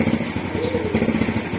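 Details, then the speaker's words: Raider J115 Fi idling after stator replacement restored charging: steady, even firing pulses with no fuel pump whine, which was likely caused by low electrical supply; the pump is not faulty and it sounds healthy. "Wala, nawala yung ingay ng pump. Ayan, hindi pala sira yung pump natin."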